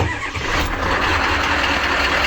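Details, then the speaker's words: 1994 Ford F250 7.3 IDI turbo diesel, no-start after sitting 2 years, first start after the pump was fitted and fuel bled: catches and holds an even rumble with light clatter and no misses; runs well, but the fuel return lines leak. "Runs pretty good, but we have a problem."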